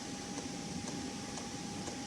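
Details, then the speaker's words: Chinese portable diesel air heater running from one battery, heating a cabin and blowing warm air: soft, steady fan hum with a single light pump tick about twice a second; very quiet, normal running. "You can put it in your outside your camper, outside your tent. It is so quiet."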